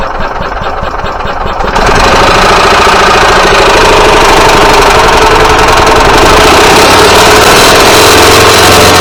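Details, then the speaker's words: Yamaha G29 golf cart engine after a rebuild: loud, steady clatter about four times a second; the cam, crank and balance shaft gears were out of time after reassembly, repaired by replacing the cam and crankshaft. "Okay guys, so now that you've heard that nasty noise, I've went ahead and got this engine out 3 times now because I could not for the life of me figure out what these noises were."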